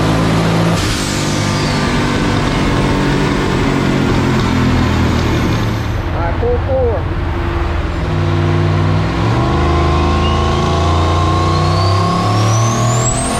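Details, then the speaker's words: 1965 Pontiac Tempest with a turbocharged 4.8 L LS, over 780 hp on the dyno, full-load pull: roar turns ragged and rattling near the top; ignition breakup, plugs to be pulled and re-gapped. "Still breaking up, dude. It's over 7, yeah? Yeah, it's breaking up. We're gonna put spark plugs off. I'd pull plugs and check them and maybe re-gap them."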